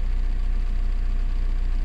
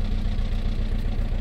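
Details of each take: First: VW Golf 4 TDI diesel: deep, even idle with no stumble or shake, a steady low clatter that dips slightly and settles. Heard after the shuddering was fixed, which involved the injector wiring harness; fault codes are cleared and it runs properly. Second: VW Golf 4 1.9 TDI 115 hp pump-injector diesel on first start, juddering with a lumpy uneven idle, poor acceleration as if in limp mode; injector problem suspected; cylinder misfire (faulty unit injector).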